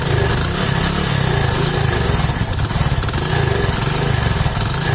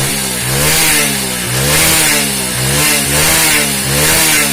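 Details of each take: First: Hero HF Deluxe single-cylinder with crank-like noise, typical after about 3000 km; uneven loping idle with rough clattering beat, two to three per second; damaged piston leaking compression. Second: Hero HF Deluxe single-cylinder after top-end repair with cylinder refitted; revs up and down cleanly with no knock or tapping; sounds healthy.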